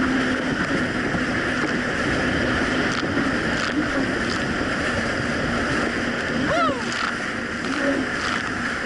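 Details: 2007 Yamaha VX Cruiser jet ski on choppy Lake Michigan after a $10 fix for surging and power loss, which a narrow gap probably caused: a steady, even engine drone over wind and water slap with no surging or dropouts; running healthy.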